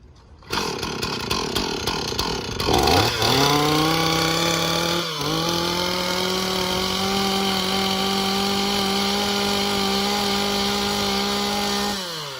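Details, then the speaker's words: Chainsaw after starting with the half choke and decompression procedure: fires, revs up sharply and holds a steady high buzz, clean and even with no misses, while bar oil lubricates the chain; normal running. "The chainsaw works just fine, and you're good to go."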